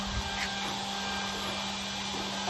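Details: Webasto Airtop 2000 parking heater being fitted in Citroen Ami, switched on, temporary fuel tank with clicking fuel pump: quiet steady whirring, low hum, soft airy hiss, no rattles; fan starting up normally before firing.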